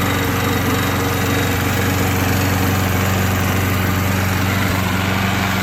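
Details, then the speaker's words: Old Craftsman mower after refurbishment. Steady, even single-cylinder putter at about 200 beats a minute with no misses or knocks; running healthy. "And I will say, it might look not really like the best, most clean lawnmower in the world, but it definitely sounds okay."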